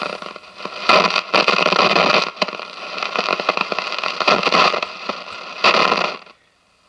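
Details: 1957 General Electric model 875 All-American Five tube radio; steady hiss with bursts of sharp crackling pops, then the station drops out almost completely, volume coming and going; silver mica disease, IF stage suspected.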